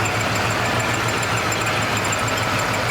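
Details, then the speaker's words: 1979 Ford Bronco V8 idling with the air conditioning on but compressor clutch not engaged: faint, thin high-pitched chirping squeak repeating over the engine rumble; squeaky belt. "here's a squeaky belt i got the air on but that clutch isn't engaged"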